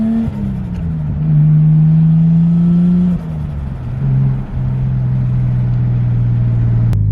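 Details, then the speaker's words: Nissan R33 Skyline with RB engine, after fitting a ProFlow LS alternator kit to fix voltage loss: clean rises and falls through the revs, no stumbles or missed beats; owner says it revs much happier, perhaps from the free-spinning alternator. "I'm not entirely sure what that's all about, but the car is definitely revving much happier. Like, it's a lot happier now, and I don't know why."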